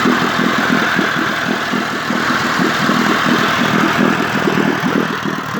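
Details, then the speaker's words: 1958 Evinrude 18HP Fastwin two-stroke outboard with a replacement power head, new rings and crankpin needle bearings, low and high mixture adjusted, on a heavy 30-weight oil mix and smoking slightly: even, steady putter at idle over water splash, no knocks; normal idle. "I have the heavy oil mix. I use 30 weight oil, so it's smoking a little bit."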